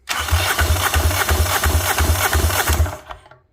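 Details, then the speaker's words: Fischer Panda generator engine on a Tiara 34 boat, found dead, cranked on a good battery after the jumper box proved too weak: strong, even compression chuffs about three a second, pushing out the exhaust; normal cranking compression, good motor. "now let's see what she sounds like when you crank it oh yeah she's making compression you can hear"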